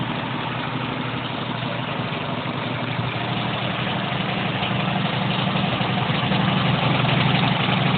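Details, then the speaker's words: Homemade off-road go-kart built from scrap parts, small engine idling with a busy metallic chatter over the steady beat; loose metal somewhere on the frame keeps rattling. "It really likes to rattle. You can hear it. That is so annoying."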